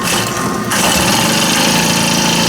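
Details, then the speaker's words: Honda GX25 four-stroke trimmer started on choke and primer before its service, with low, very dark oil. It catches quickly and settles into a steady high buzz without sputtering or surging, running cleanly. "That fired up pretty good. Well, it did. Alright, I'm pretty convinced that's going to run."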